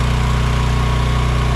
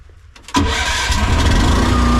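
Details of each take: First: AGT Industrial H13R mini excavator idling to warm up after first start following a winter buried in mud with battery left in; steady, even low drone with constant putter and faint fixed whine, no misses or knocks, normal idle. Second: AGT Industrial H13R mini excavator buried in mud all winter with the battery left in, cold-started on choke with throttle about 3/4 then more; a few seconds of cranking, then it catches and settles into a lumpy idle; slight struggle but it started.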